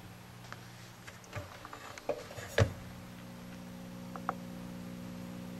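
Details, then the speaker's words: D-lab H2O 6AQ5 tube guitar practice amp, back after 11 years: steady low mechanical buzzing hum heard close to chassis, hum visible on scope; suspected and confirmed defective old Mallory filter capacitor, later replaced with radial caps. "she's a buzzin my guess is filter cap"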